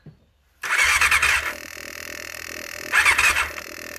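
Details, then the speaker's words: 1989 Honda CBR600 after carb cleaning, ignition switch swap and new battery: starter cranks in two short bursts with noisy whirring fuel pump, but no start because there is no fuel in the tank yet. "and that noise is just the fuel pump trying to fire this is actually a bit noisy but seems to be trying its best so all we need now is to drop some fuel in it and see if she fires up"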